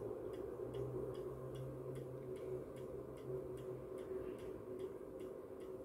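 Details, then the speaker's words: MW POWER MW-SC6B charger set to 24V recondition mode on a 12V battery, read on a 0–600 mA milliammeter; faint steady ticking two or three times a second over quiet hum from pulsing, questioned as unhealthy charging. "tu się zaczyna właśnie przygoda czy to jest zdrowe ładowanie akumulatora w takiej konfiguracji od tej ładowarki"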